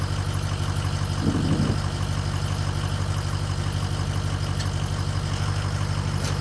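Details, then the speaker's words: Toyota Tundra engine, cranked after a broken tie rod end was replaced and the driveshaft reconnected: slow, labored cranking at about three turns a second that never catches because of a weak battery. "that's a good sign the battery is definitely weak but it's sounds like it's going to start"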